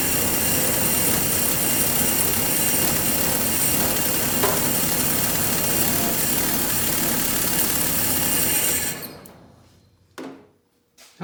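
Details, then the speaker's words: 1948 Willys CJ-2A with a flathead inline six (believed 141 or 161) idles even and busy, then dies to a few bumps, with tape never removed from the intake after the carburetor was bolted on; it ran with oil pressure. "So I'm shocked that this thing even idled at all, but removing the fuel pump to give me a little wiggle room."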